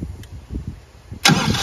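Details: PRAMAC GSW10 diesel generator that had a start-fail alarm, after replacing a bad cranking relay: a few slow cranking chugs, then it catches and roars up to a steady run; normal cranking and starting.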